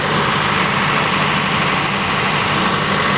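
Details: After an oil, oil filter, fuel filter, water separator and air filter service, a 110 kVA Allied/Cat diesel generator, fuel primed, starts and runs at a steady, dense, even idle with no misses, knocks or surging, running normally.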